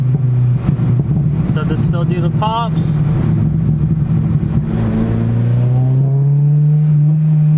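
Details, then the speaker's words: K-Pro-tuned VTEC car on fresh E85, after new injectors were fitted and injector scaling set to about 670: pulls cleanly, pitch climbing smoothly through the revs with no hesitation; now running well. "oh that one was loud it won't do the pops like around the v-tech transition so i have to slow down a little that sounds good"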